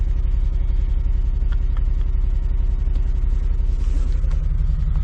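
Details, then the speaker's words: Tow truck V8 just after all eight coils and plugs were replaced, at idle: a deep, lumpy idle with a low thump near three a second that shakes the truck, a misfire; cylinder 5 has melted two coils, owner suspects wiring harness. "it's still misfiring I can feel vibration in the truck so still definitely got a misfire"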